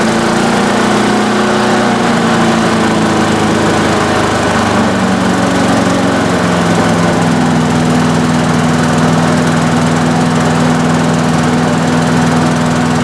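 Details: Small engine with Quantum carburetor, float needle seat just replaced after ethanol-caused fuel leak, started on choke: runs steadily at even speed, settling slightly as choke comes off; no surging or stumbling.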